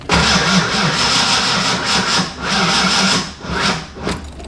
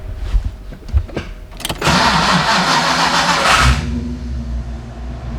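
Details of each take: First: Fox-body car warmed by a drive, then shut off and restarted hot, before the new starter was fitted: starter cranks with an even, laboured rhythm for several seconds but never fires; owner suspects heat soak. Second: Fox-body car with a hot-start problem the owner blames on heat soak; after a new starter and ignition timing set to 10–12 degrees, hot start: short loud crank whir, then fires and settles into a steady lumpy idle; starting now works.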